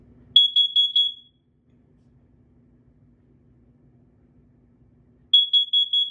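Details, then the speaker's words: FireX COE carbon monoxide alarm under test after battery installed: shrill beeps in groups of four, about four-second pause, then four more, four rounds, a normal working pattern. "yep it does four rounds is there a Dy sound nope just a chirp chirp yeah I guess so"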